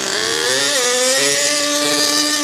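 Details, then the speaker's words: HPI Savage Octane RC truck, petrol, possibly not fully run in: thin, high wailing scream at full throttle that wavers slightly; far too lean on the high end, being richened up. "There we go, that's full throttle. So it was far too lean on the highest end. Now I'm riching it up."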